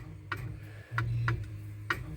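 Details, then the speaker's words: 1965 Chevy truck horn relay after cleaning the steering wheel horn contacts, with the horn itself disconnected. Crisp single clicks, one per button press; horn relay clicking normally. "Horn's working both ways now yep I can hear the relay I don't have it connected but I can hear the relay"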